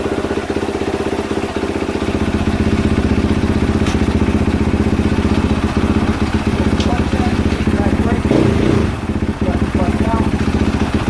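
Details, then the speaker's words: 2022 KTM 450 SXF after transmission repair (5th gear had failed), on stand during heat cycle, run through gears: steady single-cylinder beat at fast idle with even mechanical clatter, no knock or grind; gearbox healthy. "actually I'm going to do part of this heat cycle right now on the camera because I'm going to run it through his gears on the stand let's do that"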